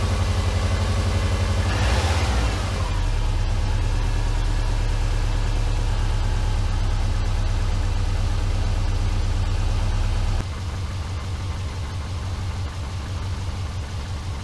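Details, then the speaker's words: Subaru Forester with rebuilt EJ251 engine just reinstalled, first cold start: loud, rumbly idle with a puffing beat at each firing pulse; front exhaust pipe leaking, quieting considerably once warmed up. "well the front pipe is definitely leaking sounds rumbly"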